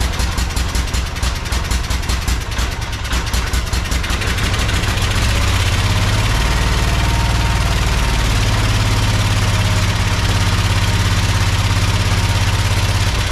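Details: Project tractor's small single-cylinder engine, fed fuel from a Lucas oil additive container into the hose, with a slightly leaking fuel pump diaphragm. It catches, revs briefly, then settles into a steady, even idle with a low, regular beat. Normal idle.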